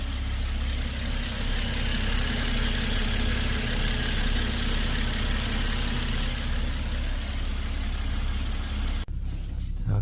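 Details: BMW 528i N20 petrol engine idling smoothly with an even, low hum and no misfire stumble after the cylinder 3 ignition coil was replaced (P0303 misfire), with no warning message; then it shuts off.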